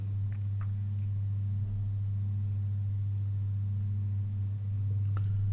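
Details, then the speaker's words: Rebuilt 1930s Garrard 202A phonograph motor on clip leads, speed adjusted via brake: steady, even low hum, no knocks or speed wander; brake affects speed, motor working properly. "so definitely affecting it doesn't seem a very good way of controlling the speed but that's what they had all right that's good that's working properly"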